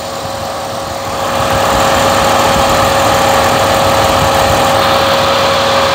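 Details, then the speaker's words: 2010 Volkswagen Routan (Chrysler 3.8) with codes P2166, P2167, P2115 and P0118 (coolant temperature sensor circuit high): steady whooshing roar swelling in with the engine completely cold; radiator fan running on cold engine, suspected, not confirmed. "Quiero ver si todavía está prendido el feng está completamente frío el motor y voy a ver si está prendido el fin pueden ver el freno está prendido ahí se escucha el ruedo"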